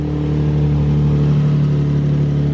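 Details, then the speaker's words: Subaru with coil-on-plug ignition, started after reassembly to check firing order and fixed oil leaks: smooth, even, quiet idle with a steady low hum, no misfire, ticking or knocking; engine quieter with every start, running well. "Every single time you start it, it's quieter. That's a lot quieter. It's like barely there."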